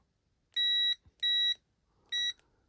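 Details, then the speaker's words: Momentary push switch from a cheap red bike light under repair, tested with a continuity meter: clean high beeps of about a third of a second each with every press; switch contacts closing. "So I'm pressing the button whenever you hear it beep."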